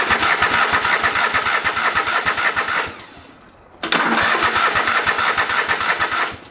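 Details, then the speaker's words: Old lawn mower sitting for years, fuel line disconnected while cranking: two bursts of steady cranking at about three compression beats a second, no fire; crank no start, no fuel flowing, fuel pump or blocked line suspected. "okay so no fuels coming out so that means there's something wrong with the fuel pump or the lines blocked or something"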